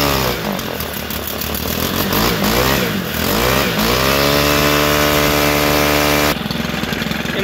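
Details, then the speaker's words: Stihl FS-111 trimmer held at throttle with primer pressed, with a fuel-soaked air filter; engine wavers up and down, then climbs to a clean, steady high pitch as it gets the airflow it needs. "sounds like it's finally starting to get the air flow that it needs"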